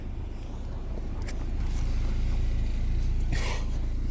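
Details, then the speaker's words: Audi TT parts car bought with mechanical damage, seemingly running lean: a low, lumpy idle with an uneven pulsing beat of about four per second that stumbles, showing misfires with no check engine light. Fuel rail pressure codes were stored; a weak high-pressure fuel pump or diverter valve is suspected. "And I think now we're picking up some misfires. Oh, yeah. I think we have misfires now. Still no check engine light."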